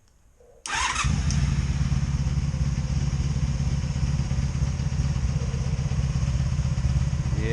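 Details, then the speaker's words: 2002 Honda Magna VF750C V4 motorcycle, just reassembled after ignition coil work, starts and settles into a lumpy, uneven idle with a stumbling misfire on all four cylinders; cause still unknown. "I can hear the misfire [Applause] I got a misfire here damn I got a misfire here so both of this I'm getting misfires"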